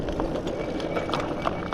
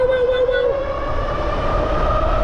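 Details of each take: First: Dual hub ebike, Bafang G62 1000W rear and G60 750W front, riding on road: scattered irregular light clicks over road hiss; rider suspects loose debris from the road hitting the fender, not confirmed. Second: Dual-hub ebike (Bafang G62 1000W rear, G60 750W front, noisier and nearer GoPro mic) near top speed: steady oscillating motor whine rising slightly over wind and road rumble, normal for these hub motors.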